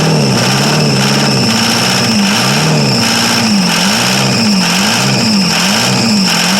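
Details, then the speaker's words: 1982 Chevrolet Silverado K10 4x4 with a 6.2 L diesel, sitting about 22 years, first cold start. Very loud, raw, wavering diesel clatter, with exhaust possibly not hooked up. It runs only on starting fluid; the owner doubts it gets fuel and is unsure whether the tanks hold fuel or the left pump works. "Well, she runs. I don't think she's getting any fuel yet, though."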